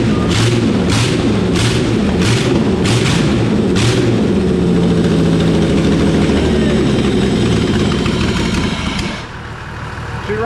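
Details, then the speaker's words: Holden VT Commodore that sat in a paddock for years, first start after its finger-tight spark plugs were found: a few cranking beats, then it catches and runs loud and slightly uneven; owners think it needs a fuel filter, unconfirmed; rough running after long storage. "mate he we're done tomor yeah I think we need a fuel filter she fired up though that's a start"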